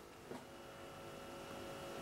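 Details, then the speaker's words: 1929 Kolster Brandes KB 169 valve radio after a capacitor was added across a valve heater circuit: faint steady low hum, previously a chainsaw-like buzz; slight mains hum, acceptable. "now i'd say i got a sort of levels of a hum you get on a dac-90 which is there but it's not enough to cause any problems"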